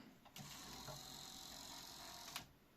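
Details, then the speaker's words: Grundig SCF6100 cassette deck, motorized drawer mechanism after overhaul and fixing the head-engaged switch part: soft even whir about two seconds, starting and stopping cleanly without grinding or clicking; operating normally. "Okay. Okay. This seems to work fine."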